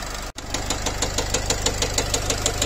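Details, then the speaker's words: Nissan X-Trail 2.0 dCi (Renault-built diesel) at idle: a sharp, regular metallic knock about six times a second after the engine stalled and restarted, smelling of unburnt fuel. The mechanic feels a piston hitting valves. "появился этот стук. Ощущение, что лупит поршень по клапанам."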